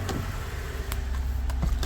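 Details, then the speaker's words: 2016 Toyota Sienna with hard starting and constant cooling fans, started at 93.2°F coolant with fans off after battery disconnect: low, even idle with no hunting, running normally. "and the thing is running as you should not up and down on the idle"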